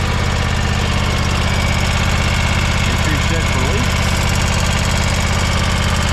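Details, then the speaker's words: John Deere X570 garden tractor engine idling after service with fuel filter refilled: light quick ticking on one side over steady idle; owner suspects valve tick needing valve adjustment, not confirmed. "I hear that ticking it's a little valve tick it's only on this side which means we need to believe we're gonna have to do a valve adjustment here before long"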